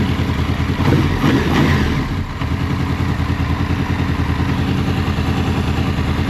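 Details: Honda VFR800 VTEC V4 after timing and valve work, warmed up before throttle body synchronization: lumpy, uneven idle with a loping beat and rough low thrum; throttle bodies badly out of sync, later synchronized and it runs completely differently.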